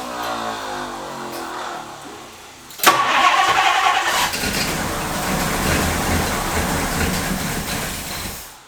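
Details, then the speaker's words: 1962 Ford Thunderbird Landau barn find, sat several years, cranked from a jump box on 50:1 fuel; a sudden loud surge keeps running on for several seconds and fades. Starter solenoid appears to be sticking. "The starter solenoid, if you hear that, the starter solenoid appears to be sticking."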